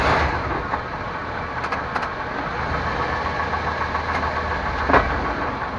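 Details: 1998 Chevrolet Suburban K1500, 5.7L V8, 4L60E automatic, 177k miles, idling in 2WD: dull thumps shifting park to drive and back; cause unknown, also sometimes clicks driving uphill.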